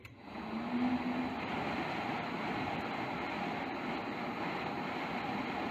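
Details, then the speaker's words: Home HVAC furnace with no heat, rewired and powered on continuous fan: even, steady rush of air with no surging, cutting out or scraping; blower motor works normally. "well that's a good sign blower actually works I can hear it like Revan t cool"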